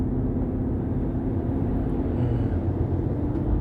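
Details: GMC Denali road test: low drone under heavy road rumble with a faint steady hum while driving; humming suspected to come from the differential.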